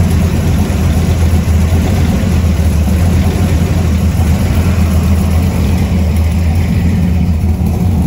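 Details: 1970 Ford F100 warming up at idle after a newly completed exhaust: a deep, loud, steady low rumble with an even beat and no misses or ticks, a healthy idle; the alternator is separately not charging.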